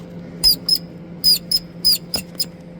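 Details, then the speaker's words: Ford Focus with 923,000 km, belt tensioner removed and its arm worked by hand giving short, high mouse-like squeaks; the tensioner mechanism and spring caused the engine-bay squeak, not the pulleys, tensioner to be replaced. "Ну вот сама натягуха, сам механизм, сама пружина вот она и скрипела, видимо, она же постоянно вот так в работе. Вот она и скрипела."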